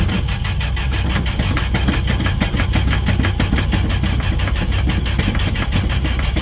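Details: 1968 Dodge D100 with a hard-start problem: steady rhythmic cranking at about four turns a second for the whole stretch without firing, before fuel was added down the throat; long cranking hard start, cause unconfirmed.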